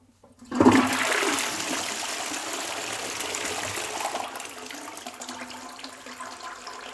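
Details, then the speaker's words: Caroma Stylus dual-flush toilet: loud flush rush settles into a steady trickle down the back of the bowl that never stops; worn half-flush valve not reseating, water keeps running. "You see it should have stopped running but it's continuing to run. So that's not right."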